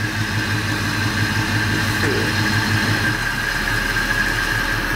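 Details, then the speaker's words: 1986 Chevy C10 V8 with a new Edelbrock AVS2 carb and intake, put in gear to see if it dies: steady low idle at 600 rpm, even with no stumble or miss, faint belt squeal over it; healthy idle in gear, throttle not yet hooked up. "That's pretty good. That's pretty good. Now it's at 600 RPM. Yep. That's good."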